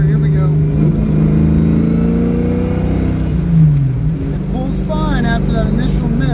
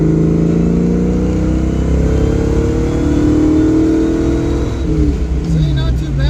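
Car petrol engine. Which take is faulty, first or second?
first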